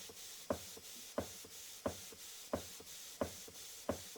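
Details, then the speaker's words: Model 19th-century Mary beam steam engine run on compressed air after years unused, timing untouched, not yet cleaned, oiled; crisp even exhaust chuffs about ninety a minute like a steam train; normal running exhaust beat. "Oh, that's just the exhaust. What was that? That's the exhaust. Hear that? It's like a like a steam train."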